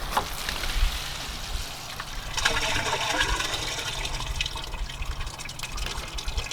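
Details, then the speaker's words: Rpod travel trailer black tank at a dump station, valve lever pulled, hose secured: steady gushing rush of water through the hose easing toward the end as the tank empties and stops draining; normal draining. "You should hear that it's empty. It's gonna stop draining."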